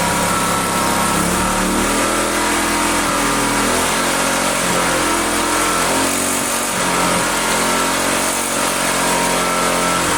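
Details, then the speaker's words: Own generator neglected about a year, restart attempt: small engine runs loud but uneven, surging and stumbling; owner suspects spark cutting out intermittently, unconfirmed; oil level possibly low. "I don't know why it sounds like it's a killing spark I think but why would it"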